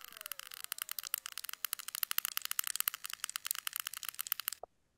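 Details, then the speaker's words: Speaker with a severe loose-particle defect, recorded during an end-of-line stepped-sine chirp test. Faint, dense, irregular crackly ticks and rattles, high-pitched and dry, from a loose particle inside. "it is a severe [Music] case hopefully you can faintly hear the rattling"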